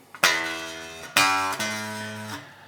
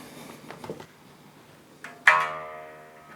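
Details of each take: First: 2012 Japanese-made Fender Jazz Bass with too much bow in the neck: plucked notes ring with a thin metallic rattle over each note. Fret buzz. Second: 2012 Japanese-made Fender Jazz Bass after setup (neck relief and string height set, about 2.5 mm at 12th fret, strings radiused): plucked notes ring and decay cleanly with no rattle; no fret buzz.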